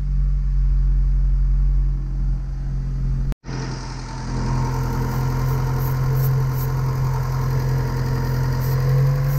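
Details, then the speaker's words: 1980 Porsche 924 Turbo with Bosch CIS, rough cold starts and boost leak; spraying at intake runners, idle hunts and revs lift and smooth slightly, most at cylinder three, some at two and four, indicating intake manifold gasket leak. "I didn't really get anything up here on the first cylinder the second gave me a tiny bit of a response when I sprayed on there the third one really gave me the most that one the revs almost even out a little bit"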